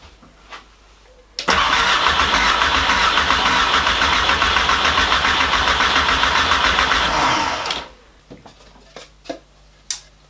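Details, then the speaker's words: Porsche 924 S with swapped VW/Audi 1.8T AEB engine: six seconds of even starter cranking, about 210 compressions a minute, never fires after fitting the correct replacement ECU; stepper motor runs but no fuel pump, injector or coil activity heard, crank no start. "when i turn the ignition on it just goes and i can hear the stepper motor running um i can't hear anything else i can't hear the fuel pump running i can't hear anything from the injectors"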